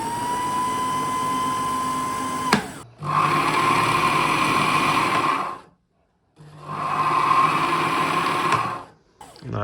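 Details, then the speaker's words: Bernina Matic 810 sewing machine bobbin winder after replacing the old hub (previously noisy and slipping): short bursts of smooth, even mid-pitched whirring with no screech; winds cleanly without slipping. "and um well there's no there's no indication of slipping here I think this is working perfectly now"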